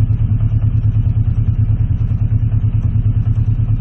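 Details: Warm Honda CB650C Custom after carburetor cleaning, pilot screws being adjusted toward about 1,000 rpm idle. Low, lumpy idle whose loudness surges and dips about three times a second, choking and stumbling; cause unconfirmed. A clicking noise persists.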